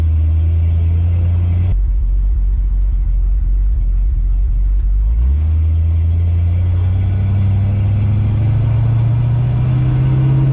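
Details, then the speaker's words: 1970 Dodge D100 at 55 mph after a rear end swap: steady low engine drone at constant highway speed, smooth and even with no knocks or whine; sounds a lot better though rpm still seem high; healthy drivetrain. "all right let's see what 55 sounds like we're at 50 54 55 rpm sound a lot better"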